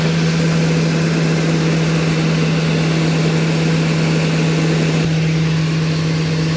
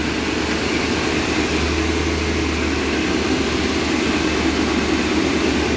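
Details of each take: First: 2002 Ford E-250 van after engine reassembly and coolant flush, idling with a filter over the intake: strong low hum with an odd constant droning tone over it; source unknown. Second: 2002 Ford E-250 Econoline van engine, first start after reassembly and coolant flush, in park: steady even idle with smooth low hum, no knocks, misses or ticks; normal idle.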